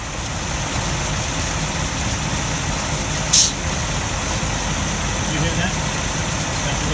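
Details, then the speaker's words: 1933 Rolls-Royce 20/25 after resealing the Autovac top to stop a fuel leak, engine at low idle, mic close to the Autovac: steady low rumble, then one short sharp hiss as it draws fuel; Autovac working normally again. "I've turned the engine revs down nice and low, so we can hear the Autovac. And if you haven't heard it before, it's a sort of a hissing, spitting noise, like a sort of and we're nice and close to it, so we should be able to hear it when it goes."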